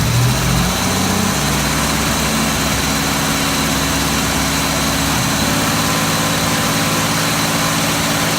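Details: Uneven idle with a recurring stumble and dip in the exhaust beat against a steady hum; no change whether the MAF sensor is connected or disconnected; idle misfire, cause unclear.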